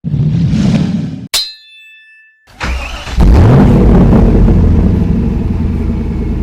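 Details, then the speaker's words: 2006 Kia Sorento with misfire codes P0300, P0301, P0303, P0305, smelling of raw fuel: cranks, catches and runs a lumpy uneven idle with a loose irregular clattering underneath. Runs terribly, suspected internal engine rattle. "I am pretty confident that this car is not supposed to be making that noise. So, uh, this car runs terrible. It sounds terrible."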